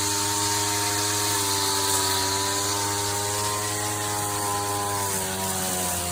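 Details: 39-year-old vintage Toro weed trimmer, Japanese-made small two-stroke, after freeing a stuck throttle cable, first run in years: steady high buzz with even, clean firing and a slight pitch dip near the end; normal running.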